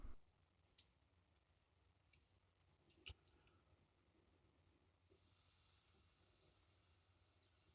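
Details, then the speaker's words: Late-1970s Power Mac 320 chainsaw carburetor on the bench, pump diaphragm, gasket and lid fitted, air blown into fuel input: steady two-second hiss out the needle hole with no sputter; fuel passage clear, no blockage or leak. "not sure if you can hear the air coming out through the hole but it is that means this part is okay"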